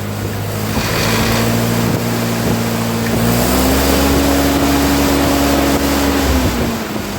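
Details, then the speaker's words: 1948 Ford 8N tractor after rebuild, first start: steady even four-cylinder beat rising gently as revs come up, no knocks or misses. Started first try; timing and carburetor are not yet fine-tuned. "go perfect okay well i guess we'll call out a success it started the first time i hit the button it's running"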